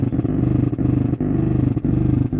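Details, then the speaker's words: Zebronics home theatre with rebuilt SMPS, after opening all supplies: steady low droning hum from the bass speaker with brief dropouts, no music; suspected biasing parts fault on the 6283 IC amplifier board. "देखिए सभी supply open करने के बाद तभी इस तरह problem दिखा जाता है। ये कंटिन्यू ये बेस स्पीकर, इसी तरह प्रॉब्लम, इसी तरह साउंड दिखा जाता है।"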